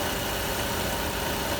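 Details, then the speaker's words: Citroën C4 1.6 16v after timing belt, poly-V tensioner, oil, oil filter and fuel filter replacement that cured a strange engine noise: smooth, even, quiet idle with no squeal, rattle or knock. "mostrar agora como é que está silencioso E aí e acabou aquele barulho adutora que estava fazendo o choque gostou ficou bom tá uma beleza"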